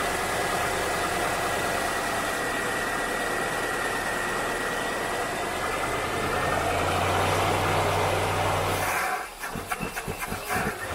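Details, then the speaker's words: Rambler probably sitting over winter with little driving, started with a squirt of starter fluid; accelerator pump linkage suspected of not opening fully: catches and idles unevenly with a lumpy irregular beat, then stumbles and sputters out after about nine seconds: rough running. "oh she sounds rough she probably needs to be having a goodly bet"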